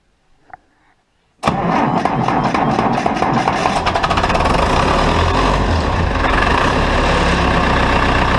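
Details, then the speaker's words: Massey Ferguson Super 90 diesel tractor with CAV injection pump, normally starts first crank; cranking after a second bleeding of pump and injectors and recharging tired batteries; catches into lumpy clatter settling to rough idle; hard starting, air in fuel suspected. "well i've gone through the bleeding process another time batteries had a few hours of charging so let me give it another little shot"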